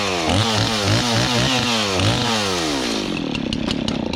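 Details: Old Stihl 026 two-stroke chainsaw, long neglected and sitting without gas, after carburetor cleaning and fresh gas mix: revs up and down crisply, picks up without bogging, settles to a steady even idle that was easy to adjust; running really well.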